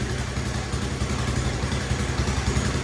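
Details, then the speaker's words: Honda G200 small single-cylinder engine in a Bocart off-road buggy, sat unused 6 years, first start after checking spark and adding fuel: steady idle with an uneven, lumpy firing beat. Rough idle. "So now we're going to fire it up, see if it will fire for the first time. The guy assures me it runs. Fingers crossed. Okay, she's a little bit lumpy."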